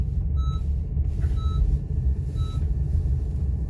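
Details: Honda CR-V while driving, brake, traction control, ABS and steering lights on: clear high beep about once a second over road rumble; low brake fluid warning because pads were worn to bare metal and caliper pistons fully extended.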